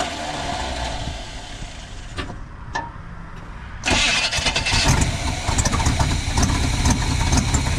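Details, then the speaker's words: 1980 Chevy K20 4x4 with freshly rebuilt QuadraJet carburetor and new fuel filters, first start: faint cranking, then catches into an uneven rough run; fuel had sputtered out the vent, possibly flooded, now picking up fuel. "Let it run till it dies. started to pick up fuel. That's good."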